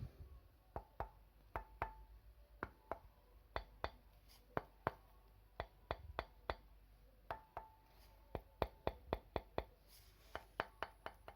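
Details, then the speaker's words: Colchester Master 2500 lathe compound being scraped flat: sharp, uneven metal taps with a brief ring as the part rocks on the reference surface; two corners sit high, one measured -1 and one 0. "hear that? So these two corners are a bit high."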